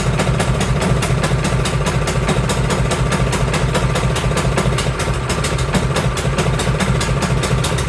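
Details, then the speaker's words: Cub Cadet 524 snowblower that the owner says runs rough and smoky, started in neutral with a high-amp power supply in cold, snowy weather. The engine pops along loud and uneven at about two beats a second, hunting instead of running clean, with the choke stuck on. "One, the choke is stuck on. So we're gonna have to dive into that. So I wonder if that's, well, she said it was running rough because not much movement here."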